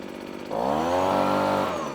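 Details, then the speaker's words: Two-stroke machine on premix started on choke after plenty of primer pumps: the pull-start catches, fired within three pulls, then a buzzing note climbs and holds steady before easing off; it starts cleanly and runs fine. "That fired then. Now that was 3 pulls. I could have got it fired on the second pull. It did actually fire."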